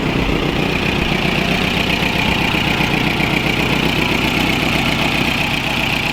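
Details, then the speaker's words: VW Rabbit pickup that wouldn't start, now running after tracing wiring and finding an exposed, corroded wire (HT leads still worn): steady, even idle with a smooth low rumble, no misses or knocks; normal idle. "I haven't eaten, I haven't slept, and I've been on my feet since fuck knows, and so had such a long day, but there's light at the end of the tunnel because we got it working."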